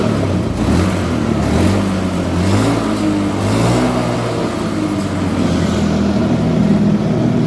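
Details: Honda Beat Street before repair, fuel pump pressure under 30 psi (spec 40–50 psi): revs climb hesitantly, then sag and hang without picking up cleanly. Engine bogging from low fuel pressure.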